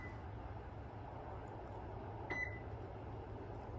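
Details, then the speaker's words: 2020+ 5th-gen Toyota 4Runner with newly installed Start-X remote start kit, standing in front of vehicle pressing lock three times; quiet hum then short high chirp confirming lock – normal remote lock confirmation chirp. "So, all right, so we're standing in front of the 4Runner right now. We're gonna hit lock, lock, lock."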